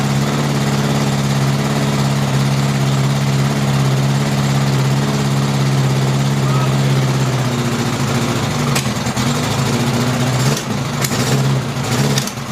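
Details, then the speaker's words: 1000cc engine for a Gator build that smokes heavily, carb low adjustment set: a lumpy idle that stumbles and pops. Under throttle some cylinders backfire out the exhaust and some back through the carburetors. "however when I give us some gas some cylinders backfire out the exhaust and some back for your carburetor"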